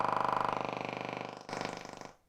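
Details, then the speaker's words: Telefunken Operette 8 tube radio under restoration, on a lamp limiter at about 218 V and 200 mA with a long-wire antenna: a rapid, even pulsing buzz of about twenty pulses a second from the speaker. Wi-Fi router interference, gone once the router is disconnected. "we got something and that noise is from my Wi-Fi this Wi-Fi router through the lanes is a pain in the butt"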